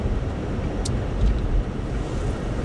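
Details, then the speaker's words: 2006 Buick Lucerne, about 20 years old, cold winter day, after replacing coil packs and the ignition control module (the actual cause) to fix a misfire: steady low drone while cruising with no stumble or miss; running normally. "I'm driving the car now and everything's right back to normal"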